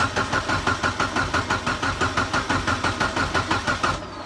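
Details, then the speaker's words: Mitsubishi Evo 8 first start after rebuild for a damaged piston and cylinder wall: catches and settles to an even, steady pulse of about three beats a second, no knock; sounds healthy, much better than before, normal start-up and idle. "actually sounds healthy not going to lie the last time yeah starting up the car it sounded bad"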